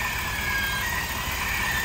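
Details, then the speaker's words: 2022 Ford F-350 in 4x4, heard by stethoscope at the front axle: thin high squeal steadily over rolling drivetrain noise, not the U-joint; squeal from the axle shaft seal, owner also wonders about a vacuum leak. "it's coming from right here right here it's really loud right here okay so now I'm wondering is this not only a squeak noise is this also a vacuum leaf"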